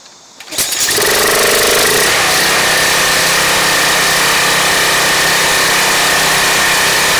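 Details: Craftsman 2700 PSI pressure washer with a Briggs & Stratton 175cc engine, after a clogged carburettor jet was cleared: catches after a couple of pulls and settles into a steady, even buzz with no surging or dying. The no-start is fixed.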